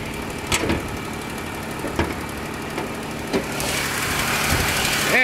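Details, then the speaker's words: 2006 Ford Escape at a junkyard, 3.0 L DOHC Duratec V6, at idle. Steady idle with a light, quick tick about three per second; owner suspects a slight exhaust leak and says it otherwise runs sweet: ticking at idle. "got a three liter v6 which sounds like it has a tick from an exhaust leak I don't know how big that is to fix but it sounds like it's got a slight exhaust leak"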